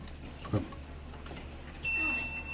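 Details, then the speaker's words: Karaoke machine board powering up after repositioning a jumper: a click of the power switch, then a long, steady high-pitched POST beep; repairer suspects a RAM problem, beep code unconfirmed. "There we go. Yes. Now we have a beep. Ah, long beeps. Oh, no, now we've got a beep, but it's okay. So that sounds like a RAM problem usually, but I'm going to go back and check the manual and see what that beep code means."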